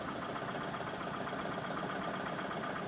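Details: Engine left sitting too long, valves sticking, compression on only about two cylinders (owner suspects carbon buildup from never revving it): uneven stumbling idle, irregular lope about four beats per second, missing; rough idle misfire.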